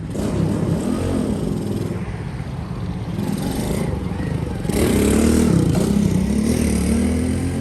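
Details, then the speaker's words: Honda S65 custom with aftermarket 140cc four-stroke engine, recommissioned after long storage: revs crisply then settles to steady even beat, no knocks or misses, though owner feels it lacks power; normal running. "so it runs nice seems to ride nice but i was hoping to get maybe a little bit more you know ump out of the engine"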